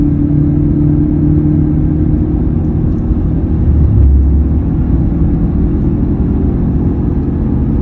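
Constant low drone with a steady hum riding over the road rumble at cruising speed; a humming noise is present, source not pinned down.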